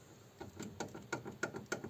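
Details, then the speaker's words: Mitsubishi Lancer 9 front left hub, turned slowly by hand with the wheel, caliper, tie-rod end and ball joint removed: quiet, uneven dry clicks and gritty rattling; worn, rusted wheel bearing, to be replaced. "Ось такий звук вона видає. Це розбитий у нас підшипник."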